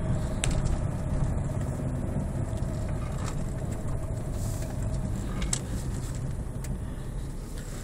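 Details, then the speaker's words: Electric-converted VW Golf just back from a short drive of about a mile on a full battery pack; steady low hum for about five seconds, then stops: the brake vacuum pump running. "The noise you can hear is the vacuum pump."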